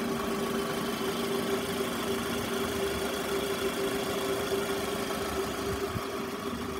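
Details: Toyota Estima ACR50 at even, quiet idle: steady unwavering mid-pitched whine on top; noisy alternator.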